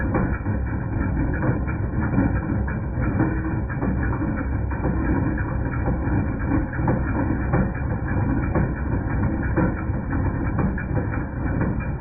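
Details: 2010 Jeep Patriot Sport 2.0 idling: loose irregular metallic clatter about once a second from the belt drive, persisting after new power steering pump, pulleys, tensioner and belt; alternator replaced and noise went away.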